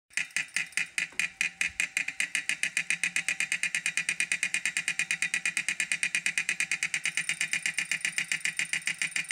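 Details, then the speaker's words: 2018 Wahoo Kickr trainer before repair: sharp, steady clicks about five a second over a high flywheel whir, a loose part that kept loosening after 35–40 minutes and knocking; fixed with replacement parts. "before the repair I could tighten it and after 35 to 40 minutes it would loosen up you start knocking again"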